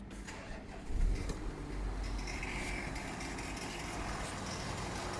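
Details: Audi Q7 3.0 TDI diesel starts and idles with a light ticking over the steady clatter, present from switch-on; thin white smoke appears from the front bottom after a few minutes of idling, with no dashboard warning lights.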